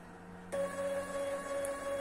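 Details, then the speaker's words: Stepper motor on a homemade peristaltic pump for thick mash, pumping about 60 L: steady high-pitched whine pulsing evenly at low speed from a cheap driver; it gets quieter as speed rises, and a pricier driver would avoid this noise. "мшм более дорогой драйвер более тихий такого шума не будет"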